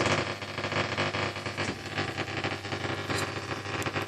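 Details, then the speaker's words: Sony ST-2950F tuner on long wave: steady buzzy crackle with rough pulsing texture and no station underneath, heavy interference of unknown source; medium wave works fine, and a faulty tuning capacitor is suspected. "No idea what that is. I'll have to find that source of interference."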